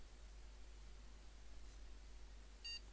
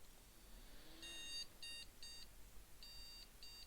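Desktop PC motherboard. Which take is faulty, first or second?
second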